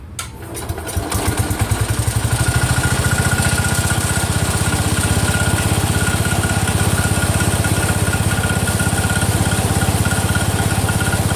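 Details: Cub Cadet 102, freshly rebuilt Kohler single-cylinder: catches and settles to steady run with light click about three times a second; front pulley coming apart, not the rod.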